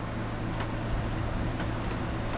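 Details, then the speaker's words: Minn Kota Edge trolling motor on first test after cleaning water and gunk from the lower end, new seals, new brushes and fixing a negative-side connection, on a charged battery: smooth steady low hum, no crackle, grinding or surging. Runs like new. "Running like a brand new one."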